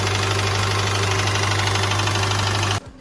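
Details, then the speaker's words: Engine at idle: strong, dry knocking roughly three to four beats a second, stopping abruptly when the engine cuts; serious deep knock, possibly loose connecting rod or worn rod bearing, unconfirmed. "Agora, batidas secas e fortes. Isso é sério."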